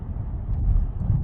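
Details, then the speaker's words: Chevy Cruze/Trax/Sonic/Encore after replacing the driver's-side hub bearing: test drive near the speed where roaring began, then toward 40, with only steady low road rumble and no roar or grind. Normal wheel bearing. "I hear no roaring noises or grinding noises. This is about the speed it would start making a noise. Let's try to get up to 40. Nothing. No noise whatsoever."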